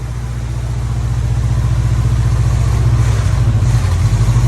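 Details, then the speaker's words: 1950 Plymouth Deluxe, off the road 23 years, running from a gas can after a carburetor fuel filter and new plugs: low idle with slightly uneven beats, keeps running but a bit rough; choke doesn't work great. "we're just kind of coming out of this gas can choke doesn't work great but it does idle"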